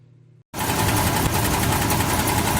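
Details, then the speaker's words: 1956 Chevy small-block V8 after running out of oil: heavy rapid knocking under the idle rumble, appeared on restart after shutdown; owner suspects rod bearings/bottom end failing. "So that started yesterday after I got home and shut the car off, turned it back on. It was just making this noise. I didn't hear it when I was driving. Sounds like the bottom end's going out to me."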